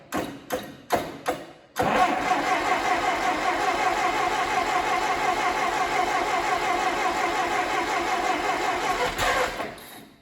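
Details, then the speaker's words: Allis-Chalmers D17 tractor engine, first start attempt in the chassis, choked with throttle fully back: a few hesitant turns, then about eight seconds of steady cranking that never catches, as if drawing fuel but needing more throttle; cranking, no start. "Starting to draw in some fuel. Almost sounds like I need a little bit of throttle to that, just to be honest."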